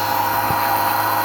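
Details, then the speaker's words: 1999 Nissan Frontier VG33E turbo, Fuelab electric fuel pump during first fuel system test, regulator raised to 30 psi aiming for 43.5 psi; steady high-pitched whine, pump loading down slightly under pressure. Normal fuel pump whine. "okay so now we're at 30 psi you notice the pump sounds like it's loading down a little bit"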